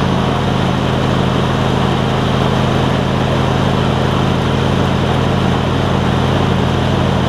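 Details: John Deere LX277 riding mower with a deck swapped from a parts LX178, started to cut grass, deck not yet level: low, even twin-cylinder hum, super quiet, no misses or knocks. Normal running.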